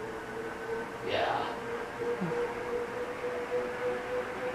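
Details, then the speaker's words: 56-inch Airmaster industrial ceiling fan on a test rig, near top speed, fitted with a new capacitor: steady mid-pitched motor buzz with a brief early chirp; the bearings sound like they aren't in the best shape; cause suspected, not confirmed. "Bearings, sounds like the bearings aren't in the best shape."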